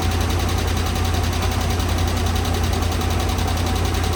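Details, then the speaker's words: 2013 RAM 1500 5.7 HEMI V8 after previous cam and lifter replacement: fast light ticking at idle, about four per second, from passenger side; caused by improperly installed pushrods and rocker shafts, damaged pushrods replaced. "Okay, that's definitely the passenger side."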